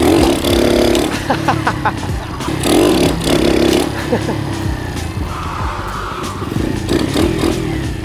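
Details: Restored 1978 Honda CT70 DAX minibike with 110cc engine kit, on test ride around a car park: small single revs up and down crisply under background noise, clean pull, no knocks or misses; healthy engine.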